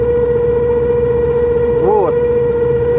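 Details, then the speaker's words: Honda RD1 just after clutch replacement (release bearing, pressure plate, disc; pilot bearing not replaced): steady mid-pitched whine at one pitch, seeming mid-body or front; owner suspects driveshaft center support bearing or worn pilot bearing in flywheel. "либо тяжело как бы определить по звуку вроде как и в середине воет а вроде как и в передней части"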